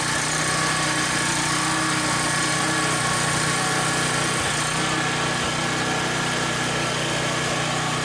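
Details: Troy-Bilt pressure washer with an 875/887-series ReadyStart engine, with hose and wand hooked up. Steady, even drone with pump hiss underneath and no surging or misses; runs normally.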